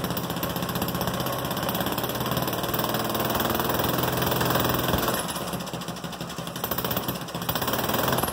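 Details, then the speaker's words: First start in about two years of a small single-engine cart after engine teardown and rebuild, running from gravity tank with no fuel pump, open exhaust dumping straight out with no gasket at the head fitted yet, in a 16°F-outside shop; sputters at uneven choppy idle, runs fine. "ya gotta love first start ya gotta love it now I got to finish my exhaust system since it's only just dumping right out right there"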